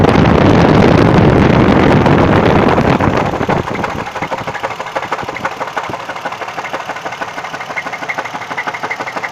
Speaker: It's difficult to get in here to see anything, but I want to know what that sound is. What is that sound?